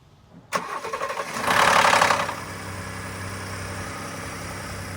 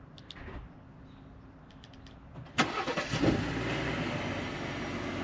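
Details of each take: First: 2018 Ford F-150 3.5L EcoBoost (Gen 2), about 69,000 miles, cold start after sitting: harsh metallic rattle for about a second as engine fires, then steady idle; cam phaser rattle. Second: 2018 Ford F-150 3.5L EcoBoost (Gen 2) cold start after the dealer replaced the cam phaser and changed the oil and filter: sharp crank and catch, then a smooth, even, much quieter idle with the phaser rattle gone.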